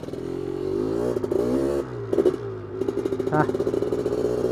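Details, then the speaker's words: 1985 Honda ATC 250R two-stroke, freshly rebuilt engine (new crank, Wiseco piston, bored cylinder) under load: revs climb unevenly then sag and stumble at full throttle, bogging; mechanic suspects flooding, jet probably far too big (180), plug to be checked. "Yeah, we'll go check that plug. I think she's flooded. Probably got way too big of a jet in there."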